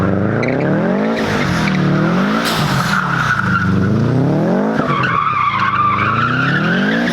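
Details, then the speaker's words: Subaru WRX STI converted to rear-wheel drive: revs climb then drop sharply every second and a half with tyre squeal, struggling to regain boost while on throttle; traction control, still active despite yaw sensor disconnected, closes the throttle butterfly. "you can hear it in the video where the rpms pick up and then drop real quick and then it sounds like i'm struggling to get back into boost it's because i'm still on throttle but the car is just closing the butterfly valve"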